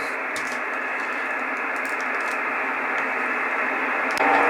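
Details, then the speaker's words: 12 V 30 A switch-mode supply (S-400 PCB) in a metal case, powering an IC706 HF receiver with a short wire antenna near 1.69 MHz. Steady hiss with a rough buzz: supply interference. It disappears when the supply negative is clipped to the case near the 240 V side. "now here at around 1.69 [Applause] there is a signal from the power supply i've got a clip lead on the negative of the power supply and if i connect that to the case somewhere you'll see that disappears"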